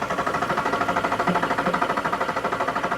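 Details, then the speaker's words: VW 07K 5-cylinder swapped into a MK1 Caddy, first start attempt: quick, even starter chugging at about nine compression pulses a second with no firing; cranks but won't start, with no fuel pump running and no spark, cause still being troubleshot. ">> We got no spark, do we? >> Nope."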